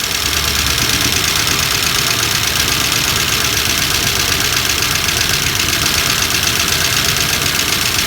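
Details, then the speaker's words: 1963 Dodge 330 with a worn slant six, running on its own for the first time in 25 years on a below-freezing day after its valves were freed. Loud, fast valve clatter over a rough idle; at least one dead valve, and wiped cam lobes are suspected. "Listen to that valve clatter. Oh, we got a dead valve here."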